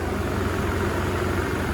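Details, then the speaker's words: Half-stripped free BMW E38 750 V12, one battery and heated-cat module disconnected, transmission failsafe warning on, first start: deep even idle with no skips or stumbles, runs smooth without misfire; normal idle. "Okay. Whoa. What the hell? What the hell? And it runs smooth."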